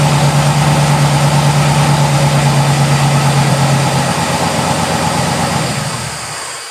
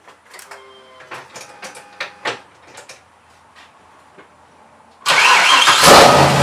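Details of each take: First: Mazda RX-7 after refitting a missing vacuum-line plug at the intake-manifold density sensor that had caused 2,000 rpm idle on startup: steady, even low burble at easy idle, no hunting or surging, then shuts off. Normal idle restored. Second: Mazda RX-7 with LS6 intake manifold, first start after intake gasket repair: quiet clicking, then it catches and revs straight to about 2,000 rpm, starter clank now gone; owner suspects the unplugged vacuum line to the density sensor causing high idle.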